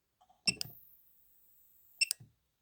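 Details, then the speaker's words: Known-good AdBlue injector, off-car on bench power (0.9 A), for a 2016 Citroën C4 Cactus 1.6 BlueHDi 100 hp at 255,000 km: two crisp clicks as power switches on/off; dosing solenoid works normally. "ne sais pas si vous l'entendez, il y a un petit clic. Donc déjà, il se passe quelque chose à l'intérieur."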